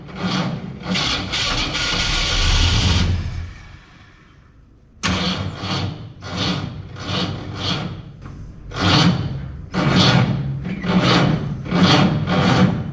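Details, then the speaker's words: 1967 Ford Fairlane, first start attempt after sitting 7 years, batteries weak: cranking bursts that catch, sputter and backfire, then die; won't keep running; fuel is present. "it still sounds good when it tries to run it seems like it's a fuel issue but I know we have fuel seems like it's a timing issue"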